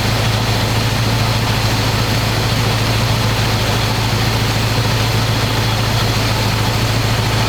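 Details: 1985 square body truck, 454 big block V8, 4-speed, sitting 20 years, fresh oil and filter, after idle screw adjustment, running hot: deep, loud, steady open-pipe burble, even beat, no misses or stumbles. Normal idle, though owner says it won't idle down.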